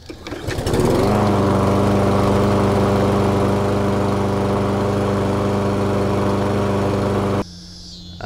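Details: Restored push mower: starts on the pull and settles into a smooth, even, steady drone with no misses or knocks until shut off; runs healthy.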